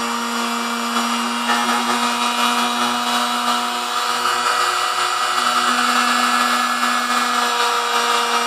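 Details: Vintage Sunbeam Mixmaster Model 12, lightly used, after service and maintenance (ran a little noisy before): steady even motor hum with a clear constant tone, no knocks or grinding; runs smooth.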